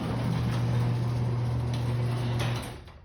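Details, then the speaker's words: Chain garage door opener closing the door: steady motor hum with loose slaps late in the travel. The door is very heavy when moved manually and slows when closing; the down limit has not been adjusted yet. "when the garage door closes there's a chain swap on it when when it gets when the door gets at this point or around this point then the chain swap happens"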